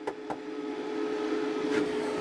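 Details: WFCO WF-5110 1000 W inverter newly DIY-installed in an Airstream RV, first power-on test: steady, even fan whir with faint constant tone, no rattle or vibration; normal inverter cooling fan.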